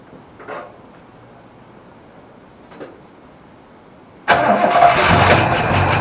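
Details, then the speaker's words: Holden HQ Ute, petrol-primed after 7–8 years sitting: quiet cranking, then it catches and settles into a steady, even idle with no knocking. Healthy normal idle. "so anyway there's no like knocking or anything like that so I'm going to shut it down"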